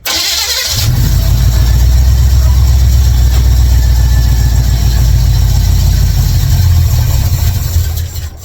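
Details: 1955 Chevrolet Bel Air, carbureted, ignition bypassed to start, fed gas into carburetor; fires into rough, lumpy idle then sags and dies; it kept dying after starting because the air valves were closed.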